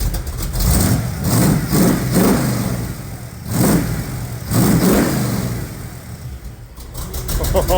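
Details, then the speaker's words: Small-block 350 V8 in a truck, running on Tuned Port Injection with a stock '86 Corvette computer, fed from a 5-gallon jug through a high-pressure pump and filter. Catches and revs in repeated blips, rising and falling cleanly with no knock or stumble: running really good. "my God he's running really good"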